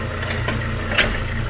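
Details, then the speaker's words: Idling engine gives one dull thump as reverse engages, also a tac when shifting into drive; broken engine mount moving excessively, transmission fault considered but mount confirmed moving; transmission also leaking oil; mount clunk on shift. "Drive. Tac. Como se fosse um problema dentro do câmbio. Pode ser um BO dentro do câmbio? Pode, mas também pode ser aquele suporte que eu mostrei que está quebrado."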